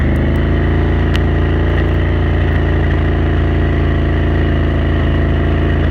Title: Renegade 1000 pop, misfire at cruise